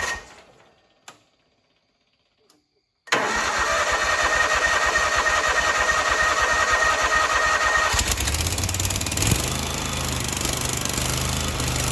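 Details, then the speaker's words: Grasshopper 727KW mower, Kawasaki FD750D horizontal-shaft twin, after cleaning the gummed-up side of the double-barrel carburetor: starts and holds a smooth, even beat on both cylinders; coil and plug were fine; normal running after repair. "well that sounds much better um so again we weren't firing on this cylinder and it wasn't a coil issue it wasn't a spark plug issue"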